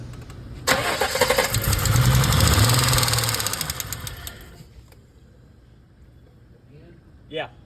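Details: BMW E30 with M20 2.5 engine; catches and revs, quick even tick through idle from top end, excessive despite repeated valve adjustments; owner suspects worn rockers and camshaft, head to be pulled.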